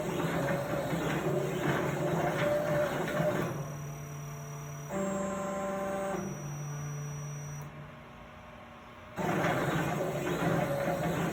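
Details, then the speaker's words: Plasma table on a replacement Openbuilds BlackBox controller, running a cut job: steady stepper hum shifting pitch and stepping unevenly, then dropping out, at the same spot each time; lead screws move freely, voltage changes didn't help. Stepper motor jitter, cause undetermined. "so now it's running clean now it's got a little bit of jitter"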